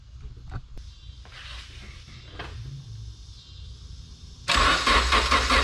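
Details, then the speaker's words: All-motor Honda build, first start before dyno, five-month-old gas in tank, radiator not yet filled: quiet cranking, then catches and settles straight into a strong, even run with no misfire; clean first start. "so i'm gonna go ahead and try to bump this thing off and see if it'll start"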